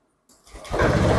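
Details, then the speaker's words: Honda Beat scooter after fitting a fuel hose and resetting the ECU via DLC to clear a blink-8 TPS fault code: silence, a short crank, then the engine catches and settles to a steady, even idle. Normal clean start. "Nah, motornya hidup ya. Ini hidup lah ya. Kita tunggu sebentar supaya efeknya itu turun sebentar ya."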